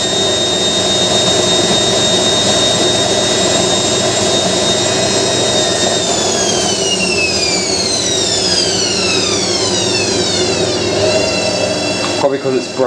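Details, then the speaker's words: Hotpoint 9530 washing machine on its first spin after new carbon brushes were fitted: smooth rising whine as the drum winds up, with the pitch sweeping evenly and no grinding or knocking. The motor sounds good and normal. "the new uh brushes make the motor sound like really powerful they [Music] do sounds proper doesn't it"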